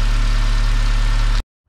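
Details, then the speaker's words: 2009 BMW E87 118i N46 after replacing the Valvetronic motor and eccentric shaft sensor for rough running, stalling and fault 2851: smooth, even low idle with no misses or hunting before shutdown, some oil smoke from the exhaust, otherwise all good. "okay looks okay so far seems to be running fine making a bit of oil exhaust otherwise all good"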